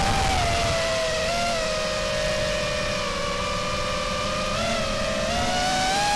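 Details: RDQ 2205 2450kv brushless motors newly fitted on a quad, flying fine: several steady whining tones dipping and rising together with throttle over hiss, sounding strange in playback; unusual motor noise, cause unknown.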